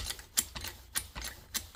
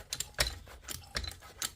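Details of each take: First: Trolley jack tested after an oil top-up and refitting the bung. Steady pump strokes with crisp clicks a bit under two a second, no stutter or slipping; the jack lifts normally. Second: Trolley jack being topped up with oil and pumped with the bleed bung open: squishy clicks with every pump stroke, about two a second, as fresh oil pushes trapped air out of the jack.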